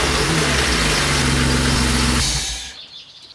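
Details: BMW E36 325i M50B25 after starter motor replacement, fuel pump primed at key position two: engine catches cleanly and settles into a steady, even idle before switch-off, no starter grind or misfire.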